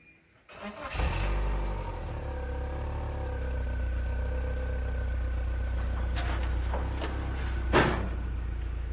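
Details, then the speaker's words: BMW Z3 four-cylinder, unstarted about four years: brief crank, catches at once and settles into a steady, even idle with no misses or knocks, running on all four cylinders. "it's oddly it hasn't started for four years or something the fuel shouldn't even be there but it's running on all four cylinders"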